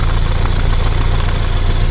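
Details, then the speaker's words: BMW F30 328i awaiting engine swap, idling with check engine light recently on and heavy blow-by smoke pushing out: lumpy, uneven idle with loose chuffing beat; rough idle with misfire, cause unconfirmed. "and as you guys can see it is running but it is running kind of rough and the check engine light actually just popped up recently"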